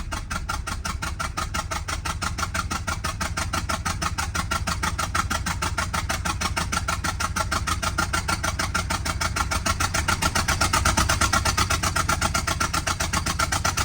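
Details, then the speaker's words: Subaru XT with a bad motor, first start after coil pack work, smelling of old gas: lumpy, uneven idle with stumbles like a misfire; a missing coil pack or exhaust leak is suspected, with possible rod knock. "o it's running but it's really really rough definitely sounds like a coil pack still missing"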